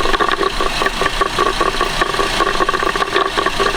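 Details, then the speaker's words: 2011 Buick Enclave 3.6 with start-and-stall complaint, no codes, after a crank sensor replacement: fast uneven tapping, about two or three a second, heard through a screwdriver on the OEM cam sensor at idle; ticking at the camshaft position sensor, cause unknown. "that's not a sound you want coming from your cam sensor lady um that could be bad"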